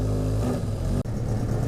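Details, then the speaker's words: 1981 Yamaha XS1100 Midnight Special, cold on choke, heavy smoke of unknown cause: steady low drone; throttle blip barely lifts revs before sagging back; engine reluctant to rev. "it seems to run well although with a bit of throttle see it doesn't want to rev"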